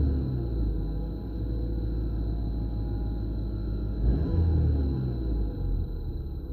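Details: 2015 VW Scirocco 2.0 TSI 132 kW EA888 CULA, 6-speed manual, 80k km, stock: tonal whine rising with revs, only when hot, on throttle in neutral or in gear, not at idle; dealer found nothing; whining on acceleration.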